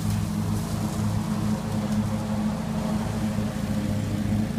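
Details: 1980 Jacobsen Turfcat 60-inch mower after PTO shaft repair and regreasing: steady, even engine drone with no knocks, clunks or surging over several seconds; runs smooth and healthy.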